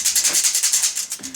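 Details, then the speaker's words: Land Rover 3.9 V8 clutch disc, 74,000 miles, removed after separating the gearbox and shaken by hand: loose metallic rattle about seven or eight a second, like a baby's rattle, from damper springs that have collapsed rather than broken. "Like a baby's rattle. Broken springs. No, they've just collapsed, haven't they?"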